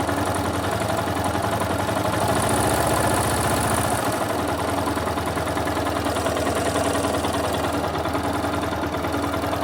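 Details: Yamaha Fazer 250, 2011/2012 model, 14,000 km: single idles steadily with an uneven mechanical chatter over the beat; owner asks what the engine noise could be, cause unknown.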